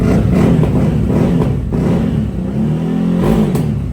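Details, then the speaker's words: 2024 CFMOTO CForce 1000 after a Team MSC stage 3 clutch kit, overheating fixes and RJWC dual exhaust: a strong, even engine note rising and falling with throttle blips, no knocks or rattles. Healthy revving. "I just wanted to let you hear it run for a second. What a beast. Woo!"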